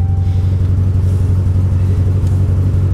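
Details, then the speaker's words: Roughly 200,000-mile engine at a salvage auction running rough: deep heavy idle with an uneven pulsing lope, about four beats a second, seeming to backfire a little, dash lights flashing and a smell of raw gas. "well that didn't run well and you sound like it backfired a little bit"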